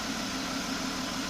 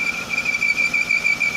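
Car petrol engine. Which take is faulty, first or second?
second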